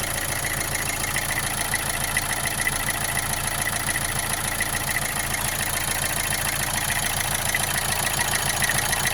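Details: Opel Astra J 1.7 CDTI diesel at idle after an oil change: busy clatter with a steady knock about twice per second and a slight vibration; otherwise runs well with no smoke, source unknown.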